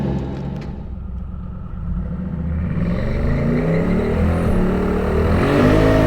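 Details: Twin turbo Hemi Dodge truck launching at the drag strip: engine roar climbs and flares instead of loading up, so the tires spin; the bump did not work, and the owner plans to lower leave RPM; turbos seemed to spool slowly.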